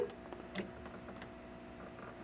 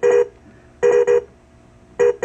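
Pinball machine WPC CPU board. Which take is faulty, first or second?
second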